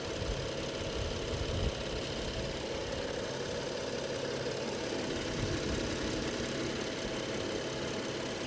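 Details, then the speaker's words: 2014 BMW 640i Gran Coupe, twin turbo, at a salvage auction. Soft, even, very quiet idle hum with no ticks, knocks or misses: a normal, healthy idle. "Okay. Engine sounds quiet. Very, very quiet."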